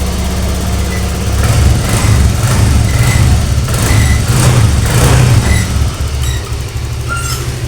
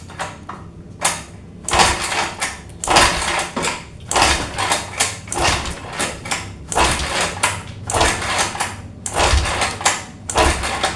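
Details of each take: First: Honda Vario 125 that stalled after washing, restarted with the kick starter after water was cleared from the cylinder and the exhaust refitted: idles and revs smoothly with a steady low exhaust note; water is blown from the exhaust. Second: Honda Vario 125 that stalled after steam washing: repeated kick-start strokes about once a second, engine turns but won't fire; spark plug later found wet with water.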